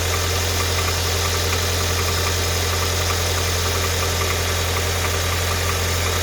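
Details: Audi A4 B7 2.0 TFSI idling with a light, fairly regular tick about two to three per second over the hum; tapping source not pinned down, cause suspected, not confirmed.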